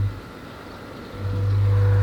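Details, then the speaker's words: Oase drum filter switched on after sitting unused: a low, steady straining hum that swells and holds with no turning rhythm. The drum won't rotate and is tight to turn, giving error 44 (motor can't turn drum). Drum filter motor failed. "so as you can hear and see the drums struggling it's not it's not turning the drum filter and then it goes straight to error 44. which means the motor can't turn the drum"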